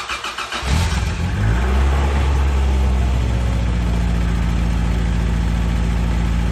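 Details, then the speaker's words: Toyota AE86 after the exhaust fix; the tip is not yet final-welded, pending the bumper install. The engine catches and settles into a smooth, even idle with a soft, quiet exhaust note and no leak puffing or rasp: normal exhaust at idle. "well it sounds good I like the way I like it's nice and quiet it's perfect for me"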